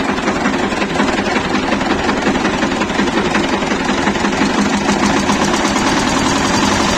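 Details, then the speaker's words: Shifeng SF 138-2 single-cylinder diesel idling without throttle after a thin (about 1 mm) gasket cut from a canister was fitted under the fuel injection pump, retarding injection; even, soft beats, previous knocking gone. "просто подложил и всё двигатель совсем по-другому стал работать и мягче"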